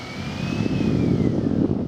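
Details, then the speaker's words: Range Rover L322 4.4 TDV8 under acceleration, recorded with microphone held out the window: thin siren-like whistle over engine and wind, rising and easing with revs; owner suspects whining turbochargers, not confirmed. "Es como un sonido de sirena, como un zumbido. No es un sonido muy agradable cuando pisas el acelerador"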